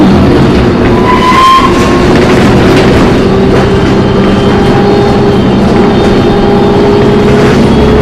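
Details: MTA New Flyer D40LF bus #4088 recorded on board while riding: loud, steady high-pitched screech over rumbling ride noise; suspected brakes or transmission, source unconfirmed.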